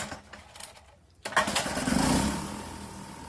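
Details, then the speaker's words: Vintage 1971 Sears ESKA 5hp two-stroke outboard after fuel tank cleaning, new spark plug, high-speed tuning: catches and settles into fast, slightly uneven buzz, runs steadily without dying. "okay that was the longest one so far and I tuned it a little bit in high speed"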